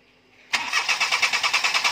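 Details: Perodua Kenari that is hard to start: even starter chug of about eight pulses a second but the engine never catches, and the fan doesn't spin with key on; the fan spins once the faulty coolant temperature sensor is unplugged.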